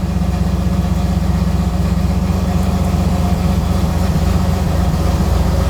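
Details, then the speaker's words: Iroc Camaro after repairing the hissing dash HVAC vacuum selector valve: steady deep engine idle with no hiss, the valve now sealing properly. "No hissing. That's not going to close. >> All right. All right. >> I mean we'd be hearing it by now."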